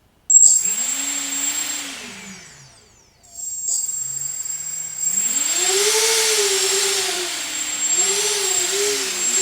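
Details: Newly built FPV quadcopter (Naze32, FrSky Taranis, Baseflight) armed in Acro mode: small brushless motors give rising and falling whines that follow the throttle smoothly, with no rasp or stutter. A normal, healthy spin-up.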